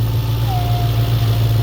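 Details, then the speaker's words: Audi B7 S4 4.2 V8 at idle: removing the oil filler cap brings a thin howl over the deep idle and the idle changes, a vacuum leak; refitting it restores the idle; same with the dipstick. "it changes completely there's a howl and the idle changes now put it back on it changes right up"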